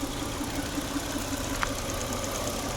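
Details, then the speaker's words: Peugeot 406 V6 idling about 5 minutes after fixing an engine oil leak, coolant gauge near 90, oil temperature still low: steady, even idle with a soft regular pulse and no knocks or ticks; runs healthy with no more leaking. "So engine has been running now for quite a while. Maybe about 5 minutes or so."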